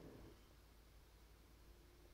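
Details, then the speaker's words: Multimedia PC: faint steady whir with a low hum from the noisy case fan, which is plugged into the motherboard; owner plans to lower its voltage in the BIOS. "cel les autres il font pas de bruit honnêtement doncii qui fait du bruit ti étonnant je m'attendais à ce que ça soit les autres"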